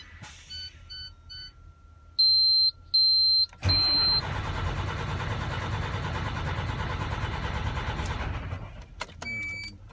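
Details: MAN TGA 26.480 truck that starts perfectly when cold but won't start after running a few minutes: dash chimes, then about four seconds of steady, rhythmic cranking with no firing on the warm engine.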